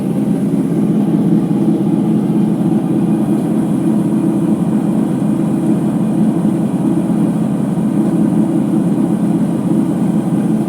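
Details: Ipso HF 65 commercial washer in high-speed final spin: constant deep droning roar with no rhythm or variation, from worn drum bearings.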